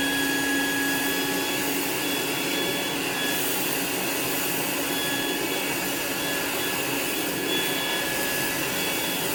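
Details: Rainbow E2 Gold two-speed vacuum after rebuild (motor parts washed, lower motor bearing repacked, new HEPA filter, belt, brush roll), in use: steady even motor whine with constant airflow rush, no rattle or grinding; runs smoothly.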